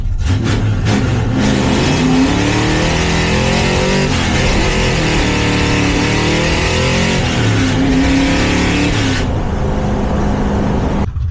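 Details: 1971 Plymouth Satellite V8 being readied for drag racing, fitted with a dual point distributor, now straight-piped with no mufflers; camera behind the car. Loud raw bark through several blips, open pipes crackling, no misses.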